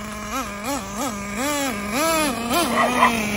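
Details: Traxxas 3.3 nitro engine swapped in for a 2.5, which had kept freezing up on starting; after the fix it starts right up, buzzing steadily at idle and snapping up in quick throttle blips that drop back cleanly; normal idle.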